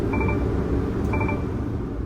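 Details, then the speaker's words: Garbage truck diesel running with the PTO on and no air in the system: short high beeps about once a second over a steady rumble from the low air pressure alarm; PTO, blade and arms won't work until air builds back up. "larm is going off. I have a low air alarm. All right. Look, PTO is not going to work."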